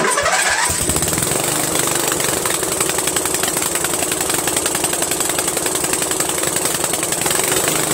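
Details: 13hp Briggs flathead on MTD Cub Cadet lawn tractor after carburetor replacement: fires within a second, then settles into a steady, even run with no sputter or hunting; runs well.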